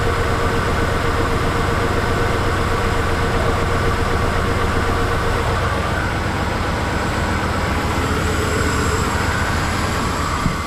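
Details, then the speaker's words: 1992 Ford F-150 long-sitting truck, first start after battery, starter and relay work: runs with uneven, lumpy shaking rumble; engine visibly shaking, owner says it needs motor mounts. "Alright. Well, she's got some shake to her."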